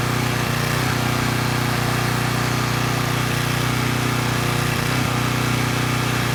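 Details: Repaired Coleman Powermate Pulse 1850 generator (1996 engine) under a space heater drawing slightly over its 1500 W rating: loud, steady drone at an even pace, no hunting or surging, maintaining 114 V at about 62 Hz after governor speed adjustment; normal running under load.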